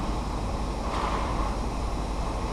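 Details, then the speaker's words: Seat Ibiza cold start after replacing the worn timing chain tensioner (oil-primed): steady, even settled idle with no chain rattle, only a slight squeak from the auxiliary belt; normal cold start. "sounds okay there is a little squeak coming from the ORS belt whatever"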